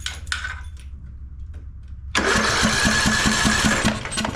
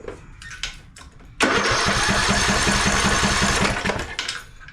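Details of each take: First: Craftsman LT1000 mower, single-cylinder Briggs & Stratton 17.5 Intek, with the replacement ignition coil gapped and fitted, spark tester grounded: after quiet handling the starter cranks at a steady two and a half beats a second; the engine turns over normally and now has spark. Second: Craftsman LT1000 mower, single-cylinder Briggs & Stratton 17.5 Intek, new spark plug fitted, choke off as it has plenty of fuel: starter churns about three strokes a second for over two seconds with no firing; spark tester shows no spark, bad ignition coil suspected.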